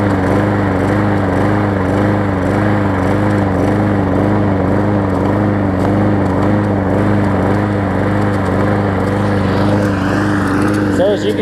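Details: Hyper Tough customer-return mower with its severely bent blade replaced by a new one, started with starter fluid. Steady engine drone with a wavering, uneven pulse. It runs rough, "not great right now" but not smoking, and the gas tank is loose. Cause not evident.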